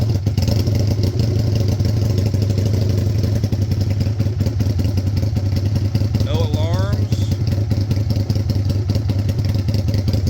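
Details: 2002 Aprilia RSV1000 Mille V-twin project bike, fired up again after sitting, throttle cables due for replacement, front brake fluid nasty: steady, deep V-twin idle with an even, loping beat and no knocks or rattles. Normal, healthy idle.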